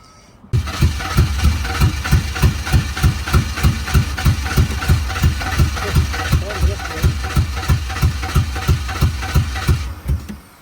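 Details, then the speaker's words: 2003 Ford Explorer on a jump box, needing a battery, possibly low on fuel: engine thumps loud and raw at about three pulses a second, harsh and uneven; an exhaust issue is suspected. "Um is loud. Sounds like it has an exhaust issue."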